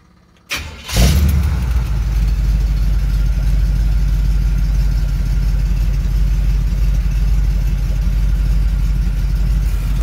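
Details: 1971 Chevy C10 with a cammed 350 Vortec small-block V8 (Summit 1103 cam, long-tube headers) cranks and fires, then settles into a deep, loping, choppy idle; normal cammed idle, any light tapping is exhaust rattle, not rod knock.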